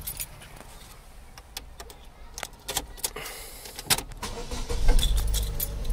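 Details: 2008 Saturn Astra, first start right after replacing the accelerator pedal for code P2122: key jingle and cabin clicks, then it cranks, catches cleanly and settles into a low rumble. Normal start, no check engine light afterward.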